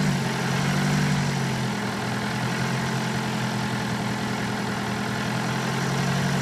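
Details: BMW 118d E87 phase 2, late 2008, 120,000 km, diesel at idle: low, uneven metallic rattle under a steady drone; abnormal noise, with a suspected known timing chain or metal fault that is not confirmed.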